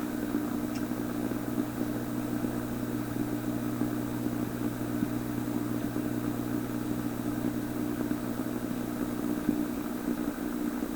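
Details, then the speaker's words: Canadian PYE 39 antique tube radio on the 49 m shortwave band near 6 MHz with a signal generator: steady hum with an irregular thumping, possibly another modulating carrier; the signal stays weak even after the incorrect tube was replaced. "well you can hear that thumping sound watch my hand up there and listen I heard is there sounds like another modulating carrier"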